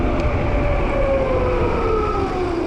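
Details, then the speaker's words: Juiced HyperScrambler 2 e-bike after two-month breakdown, repaired with new nylon planetary gears, at 33 mph full throttle: soft motor tone under wind and road rumble, no longer any clutch whining; owner guesses torque sensor tuned differently. "I was going 33 there full throttle and I do not hear that clutch whining sound now"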